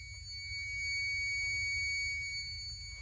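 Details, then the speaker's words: Whirlpool WRS322FDAB04 side-by-side refrigerator, not cooling, compressor not starting: relay contacts closed with a magnet while the meter checks continuity; steady unbroken high-pitched beep confirms the relay contacts close properly. "We're going to close the contacts in the relay. If it's good, it'll beep."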